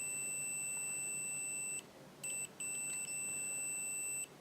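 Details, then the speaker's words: Continuity test on a pocket multimeter (one of ANENG AN101, Uni-T UT120C, Victor VC921): thin, high, quiet steady beep in two short bursts with a gap. Higher pitched and much quieter than the loudest meter's buzzer. Normal continuity beep. "It's kind of higher pitched and a lot quieter. This one's, as you see, non-matching. You hear the squeaky, scratchy sound, which means it's quite fast, but it does sound horrible."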